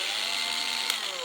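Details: Makita 8400D 9.6V cordless hammer drill on original NiCd battery, after cleaning corroded push-switch contacts: steady even motor whine with light gear buzz, no hammer knocking; runs smoothly in drill mode.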